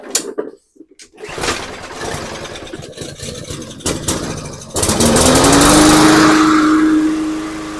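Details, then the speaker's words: MTD push mower, after tightening the part on the output shaft that caused shaking, rattling and vibration: fires, revs up and holds a smooth, steady drone with no shake or rattle; runs like new. "That is uh as smooth as brand new. So that's good."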